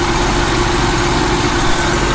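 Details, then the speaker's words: Copart car with 163,000 miles and check-engine light, just started, listened to for knock: steady even idle hum with no knocking or ticking; sounds healthy at idle, though low coolant and smoke from a leak noted. "I think the engine sounds pretty good."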